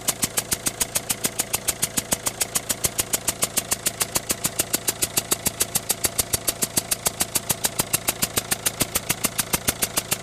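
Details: Citroën Berlingo 1.6 HDi diesel, 123,000 km, at idle: sharp, very regular tick about 3.5 times a second; noise and smoke at start-up, smoke fades but ticking remains; engine otherwise seems normal, source undetermined.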